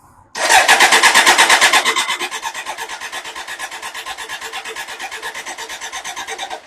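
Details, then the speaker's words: BMW K100 motorcycle: steady starter churn, about three pulses a second, no firing; engine spins freely but gets no fuel. Spark confirmed since it ran on brake cleaner; seller said fuel pump not working. "it needs fuel needs Spark I know it's got spark because it's running on Brak CER so from the guy I bought it from his understanding is there's no fuel pump working"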